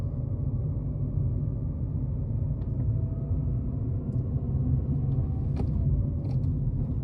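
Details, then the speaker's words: Ford Ka road test at low speed up to about 20 mph: low droning whoa-whoa hum rising with road speed under road rumble; worn front wheel bearing. "so hopefully you caught there there was a droning whoa whoa type noise and I think the maximum speed there was about 20 miles per hour"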